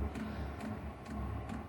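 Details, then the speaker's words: 5 kW diesel heater on a mobile workshop cart, starting up in freezing workshop (-3 overnight): soft even dosing pump ticks about twice a second over a low hum as the heater comes to life and warms; normal fuel pump ticking. "Oh, it just sounds like she's coming to life. That's the pump clicking away."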